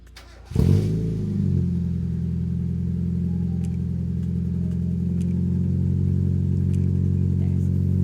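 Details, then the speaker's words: Mazda MX5 after new HT leads were fitted. Starts quicker but settles into a lumpy idle with an irregular exhaust beat, still shaking badly. Cause of the persistent misfire unconfirmed; plugs, leads, intake gasket and injectors were suspected. "right so the engine is still shaking like hell it does sound slightly better from the rear"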